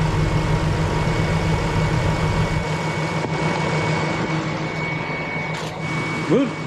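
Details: BMW X5 4.6is, older M62TU V8 prone to Vanos issues, idling after full service with fresh oil and new plugs: steady, even idle, no top-end ticking, rattle or stumble; healthy.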